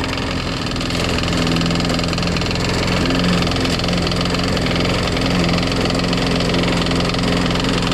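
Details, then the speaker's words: Craftsman Eager 1 mulcher push mower, small single-cylinder, just after carburetor replacement and priming: uneven, lumpy running with a faint knock underneath, smoking; rough running with knock, cause unconfirmed, mower still cuts well. "sound like it has a knock in it though oh yeah you sound like you got a knock in it it's running kind of rough kind of smoking"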